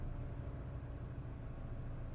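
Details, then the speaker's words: Mini One R56 with 1.6 engine replacing the 1.4, complaint of low power and unstable idle: after cold start revs drop and hold a smooth even idle, no hunting or stumbling; engine healthy. "you might not be able to heal the engine guys but I can hear the engine absolutely perfect perfect nothing wrong with it"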